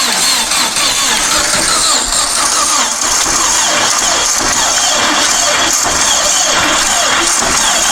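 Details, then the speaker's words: Long-stored dune buggy/sand rail, fuel dribbled into the carb, cranking on a booster pack: starter drags the engine slowly, about four beats a second, nearly catching but never firing; owner suspects too little power from the booster pack. "so i think we need a little more power than the booster pack's going to provide"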